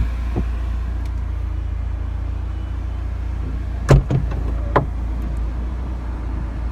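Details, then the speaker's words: 2013 BMW Z4 pre-purchase inspection, hardtop closing with the engine idling: a few light clicks, then one sharp, heavy thunk as the roof latches; the final clunk seems noisier than remembered, flagged to check against another Z4. "all right that final clunk seem a little noisier than from what I remember but just keep that in mind"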